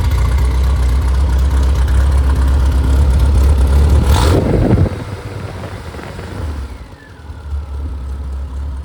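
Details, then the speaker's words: Rebuilt Triumph Spitfire/MG Midget 1500 four-cylinder (shaved head, flat pistons, 270 cam, larger intake valves, double timing chain; 80+ psi oil pressure at start, 190 psi compression) revving cleanly and settling without knocks; normal running. "So, I'm going to run it and uh let him hear it run and uh we'll we'll rev it up to uh get the RPMs up a little bit and let you listen to it."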